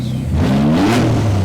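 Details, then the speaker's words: Barn-find Nissan Z32, about 600hp, after full service, oil and filter change, ECU coil-pack dwell timing sorted, O2 sensors plugged in and blast pipes fitted: sharp rev climbing and holding high, crisp even firing, no misses or rattles; healthy. "Just hold it down for a second. Ra-ba-ba-ba-ba. 65. Yeah, it's healthy."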